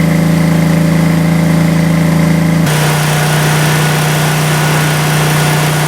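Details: Craigslist generator converted to propane, after leak checks at the regulator and intake: a steady, even drone with no misses, knocks or hunting, running cleanly.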